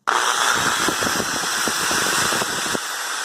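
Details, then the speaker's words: Bosch Super Hobby drill on 127 V after preventive maintenance (kerosene cleaning, commutator sanded with 1200 grit, bushings lubricated), housing closed; high, even motor whir holding steady speed with no grinding or sparking rasp, running normally. "Funcionando normal."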